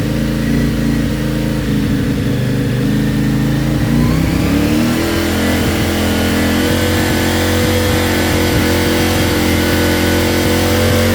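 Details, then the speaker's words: CFMOTO Ibex 450 before ECU tune, warmed to 180, cruising around 3500–5500 rpm with cruise control: uneven pitch that dips and shifts, bike bucking and surging forward; jerky throttle surging. "That's why when you're cruising on this thing at any of those speeds, it's just sitting there and physically trying to buck you off the bike, searching forward."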